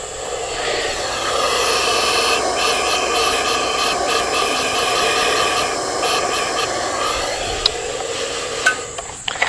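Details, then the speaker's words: Honda XR80 with low compression on a leak-down test: a steady airy hiss of air escaping out the top of the carburetor. The intake valve is adjusted too tight, so it is not sealing. "sure enough my issue is my intake valve is too tight"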